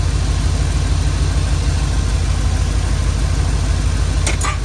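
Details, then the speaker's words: Prism Supply 4x4 van V8 at idle: deep, lumpy idle with an uneven beat about three per second; one cylinder dropping out from a burnt-out plug wire, probably arcing against the exhaust manifold. "I found some of the problem. That right there is burnt out. So it's probably been arcing against the manifold."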